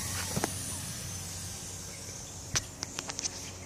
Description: Corksport inlet pipe leaking air at 2 pinholes in the weld